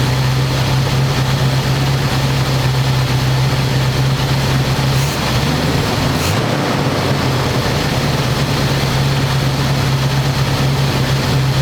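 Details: 1985 square body truck, 454 big block V8, 4-speed, sitting 20 years, after refitting air cleaner and vacuum lines and adjusting idle screw that wasn't touching throttle: steady deep drone at one low pitch, no stumbles or surging. Normal smooth idle.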